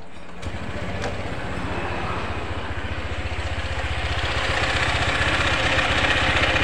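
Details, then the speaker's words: Honda PCX scooter before CVT disassembly, reported as rough with rattling and shuddering from the CVT. A steady rapid beat rising with revs, with rough rattly chatter from the belt drive side: CVT rattle and roughness. "di kesempatan video kali ini kami ada garapan Honda PCX ya mengalami problem atau trouble ini suaranya kemeletek dan kasar di bagian CVT kemudian geredek ya rekan-rekan"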